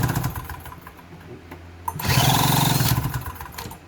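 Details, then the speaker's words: Harbor Freight 1000W generator after fixing no-spark problem and clearing bad fuel: catches after short crank and settles into steady even running; starts fine now. "But now she starts up just fine."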